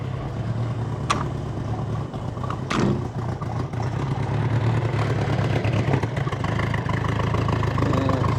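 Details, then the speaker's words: Bombardier Bombi with Holley Sniper 1100 EFI, new coil, exhaust manifold leak plugged, water temp fine: fast even idle around 2000 rpm, no dips or misfires. High idle; it later cuts out after a few minutes of idling, and the new coil didn't help. Cause unknown. "see my uh water temperature is not bad it's just Island around 2000 RPM well enough let's see what it does here"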